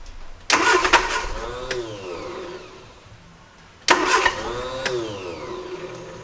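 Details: 1968 Triumph Herald 13/60 long off the road, first start attempt after setting and cleaning points and fitting a new distributor cap: two sharp bursts of revs catching and fading back, engine firing and picking up cleanly on a little throttle.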